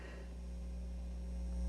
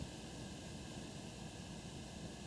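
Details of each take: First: Elliott Sound Products phono preamp kit, battery powered around ±4 V, into small amplifier: constant low buzz with faint hiss, rising as hand nears or touches input; mains hum from open input, both channels working. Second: Phono preamp kit build (Elliott Sound Products project) with inputs shorted to ground, volume turned up very high: soft even hiss with faint low rumble, normal noise floor of a high-gain phono stage, inaudible at normal listening levels.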